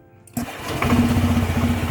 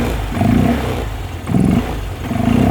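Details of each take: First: Honda Vario 125/150 with a modified open air filter, cold start after sitting overnight: engine catches and runs lumpy and uneven before picking up; owner suspects too much intake air, maybe needing injector setting. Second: Honda Vario 125/150 scooter with semi-open air filter mod: short repeated throttle blips with a throaty intake roar rising and falling; normal open-filter induction noise, though owner notes slightly hesitant response when cold and wonders about injector setting.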